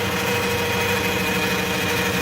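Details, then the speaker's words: Running vehicle with check engine light on, heard at the transmission dipstick: a steady high whine over the idle grows louder and louder. Fluid is brown and smells burnt; the transmission pump is whining. "Here it comes, it's getting louder and louder."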